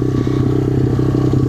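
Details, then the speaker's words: 2015 SSR 125 dirt bike with stock 125 motor swapped back in, in neutral in deep sand, hot day: quick, busy single-cylinder beat revving faster than normal tickover; idle set too high, to be lowered. "the idle's a bit High going to bring that down"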